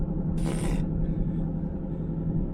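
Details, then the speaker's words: Driving with a loud steady hum around 180 Hz under road rumble; the rear axle had been driven with no oil, and the noise kept getting worse, with worn rear axle or wheel bearings suspected. "hear that loud humming noise well tracy decided she needed to drive around with no oil in her rear axle"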